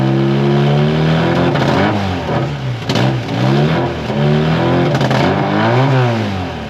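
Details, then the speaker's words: Mk1 Ford Fiesta with Zetec engine after converting the fuel tank to injection: loud raw engine note rising and falling with revs, harsh open blare from the cut-up exhaust being remade. Exhaust leak, louder than normal until the exhaust is fixed. "But yes, it's going to make more noise than normal till I've sorted the exhaust out."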